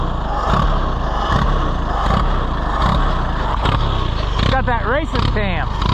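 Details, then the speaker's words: Allis-Chalmers WD tractor, possibly with a WD45 engine, first start attempt: the engine chugs unevenly with a wandering, stumbling beat. Rough running; the carburetor is unhappy, first starving for fuel then going to the other extreme. "let's try to get it away before it quits it's going to quit before we get there but sure carburetor is not happy"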